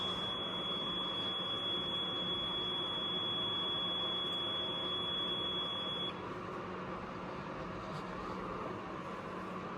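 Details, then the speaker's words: APC UPS on mains, charging its battery and running load, when a second 600 W rod pushes it to full load: overload light on and a steady continuous beep that the test button can't silence; it stops when the load is halved to 600 W. "On कर दिया, load full show कर रहा है। थोड़ी देर इंतज़ार किया, फिर overload की लाइट ऑन होगी और कंटिन्यूस बीप शुरू कर दी। आई टेस्ट के साथ बीप को ऑफ भी नहीं किया जा सकता।"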